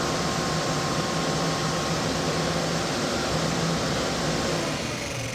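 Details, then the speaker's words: Electric cooling fan for the K24-swapped Civic, bench-tested, then polarity reversed to blow through the cooler: steady airy whoosh with faint hum, no rubbing or ticking; normal fan operation. "Seems like it's blowing at me. Moves a fair amount of air. Let's run it the other way."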